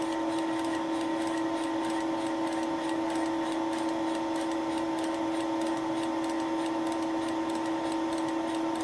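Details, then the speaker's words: Wohlhaupter UPA5 facing head on a Thiel Duplex 158 mill, final facing pass on a lawn mower's melted plastic bearing seat: steady cutting tone with evenly spaced clicks from the radial feed mechanism advancing the cutter each rotation; normal. "this is the final pass (the clicking noise is caused by the radial feeding mechanism)"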